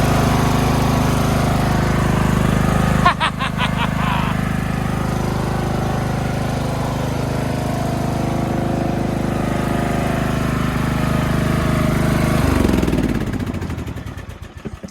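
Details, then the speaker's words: Craftsman LT2000 riding mower, single-cylinder engine, driving on a battery; steady even chug holding rhythm, then winding down to a stop. Normal running; screeching underneath suspected from a failing pulley. "How about that? Even the headlights work."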